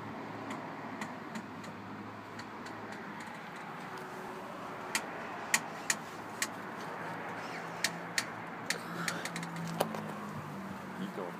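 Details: 2010 Jeep Wrangler JK Unlimited, engine off, after a couple hours of driving around town: sharp irregular clicks and snaps as the clutch pedal is pushed in and let off; cause unknown.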